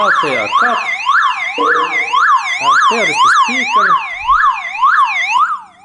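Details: Car alarm siren keeps a loud unbroken sweep up and down about twice a second after its wires are cut, powered by its internal backup battery, so the siren must be removed.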